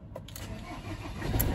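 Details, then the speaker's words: 2008 Ford Transit diesel van with water flood damage, cold start: cranks and catches with a couple of heavy dull clunks, then settles into rough running; cause unclear. "so it's not when you start it he just doesn't sound right he just clunks a bit"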